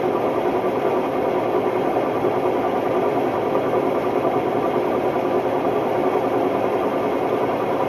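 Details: Hotpoint Ultima WMD960 washing machine, recently acquired, test spin: steady heavy roar with loose uneven rumble throughout; bad drum bearings blamed.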